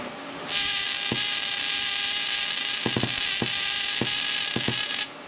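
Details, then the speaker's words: Everlast 255EXT TIG welder, high-frequency start demonstrated with the torch about an inch to an inch and a half from the metal: a sharp sustained hiss with snapping cracks as the arc is forced across the gap. "as the high frequency Ark is hitting the metal we're about an inch inch and a half away from it and we're still able to kind of force a high current arc to jump over top of that low current high frequency start"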